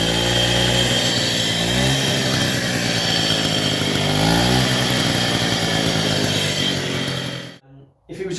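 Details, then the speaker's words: 1964 Raleigh Runabout RM8 50cc two-stroke, also lacking power: buzzy revving up and down with a harsh metallic rattle that rises with revs. Horribly noisy worn crank bearings mean splitting the casing for a full rebuild. "Another point of why I want to do this rebuild is the crank bearings are horribly noisy. I'm going to put a little video snippet in here. It's not the best quality video, but you can hear how loud them crank bearings are."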